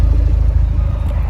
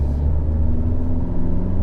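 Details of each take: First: Fiat 124 Spider 1.4 MultiAir turbo after switching the air conditioning on then off: even, steady low idle with no stumbles, smooth exhaust, misfires gone; suspected camshaft issue, cause unclear. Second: Fiat 124 Spider 1.4 MultiAir turbo at idle with a low rumble and an uneven, stumbling beat, misfiring on cylinder 4. The owner suspects the camshaft failure known on these engines. Misfire.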